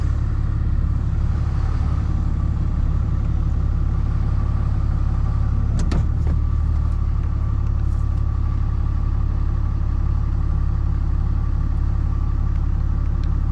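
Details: Freshly rebuilt 6.7 Cummins diesel during break-in, high idling to warm up for hot retorques, with the AC on to add heat: an even, deep rumble at raised speed with no knocks or ticks; a normal high idle.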